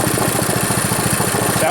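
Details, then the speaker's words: Powerfist small engine freshly rebuilt from complete teardown, run outside: even, steady thumping at roughly twelve beats a second with no misses or knocks; normal running. "good though for you know being tore right down to nothing sweet"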